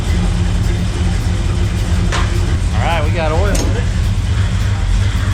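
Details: Old Chevy square-body "wood truck" just after power steering pump reassembly and new pressure and return lines, with air still in the system: the engine catches and settles into a steady, even low rumble with no knocks; running normally.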